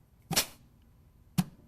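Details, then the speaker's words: Rebuilt 722.9 automatic transmission on bench, compressed-air check of B1 clutch before valve body install; two crisp thuds about a second apart with short hiss, clutch applies firmly and holds. Normal clutch apply during air check. "and i can actually pull the nozzle away and it's holding so well that air is escaping as i'm pulling it away so that's a real nice air check on the b1 clutch"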